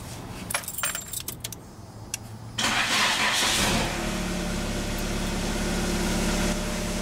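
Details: Nissan Tsuru that cranked but wouldn't start, after repairing a terminal that passed no current to the fuel pump: a couple of light clicks, then the engine catches quickly and settles into a steady, even idle with no misses; normal start.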